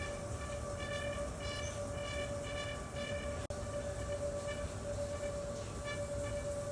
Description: Is your return grill making a high pitched sound?